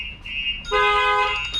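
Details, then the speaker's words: 2017 Lexus RX450 with StarLine S96 alarm/immobiliser, unlocked with factory key but no tag: chirp then loud steady multi-tone alarm blare during start attempt; engine won't start, phone alert sent. "Alarm is going off. So now if he attempts to start the vehicle, won't start. Yeah, won't start."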